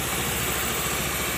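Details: Honda Beat FI injection scooter that was hard or impossible to start despite full service and reset, after injector replacement: short, even idle with a soft, steady low hum under hiss, no stumbling or surging; now idles normally.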